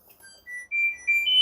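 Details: LG F1280QDP2 front-loading 6kg washer/3kg dryer, previously wouldn't power on, after replacing the defective main PCB's damaged power switching IC: short rising run of clean electronic beeps as the control board powers up; normal chime.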